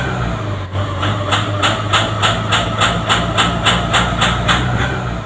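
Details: Nissan Navara diesel, hot engine around 2000 rpm: harsh rhythmic rough running with heavy exhaust smoke, only when hot; smooth when cold with normal fuel pressure; EGR valve stuck open.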